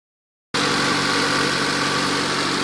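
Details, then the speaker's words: Turbocharged Honda D16Z6 with a 55-trim turbo and only 3,800 miles. A steady rushing hiss over an even idle with faint pulsing, heavy crankcase blowby. The owner suspects the rings; no compression test has been done yet. "I'm assuming the Rings are no good haven't been able to do a compression test yet hopefully I can do it tomorrow but it's got really bad Blow by"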